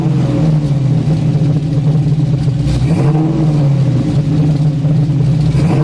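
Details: Camaro V8 with 3-inch true dual exhaust, X-pipe, Flowmaster 40 mufflers and added 16-inch resonators: deep smooth rumble swelling with revs and settling evenly, no rasp, drone or leak tick; healthy exhaust.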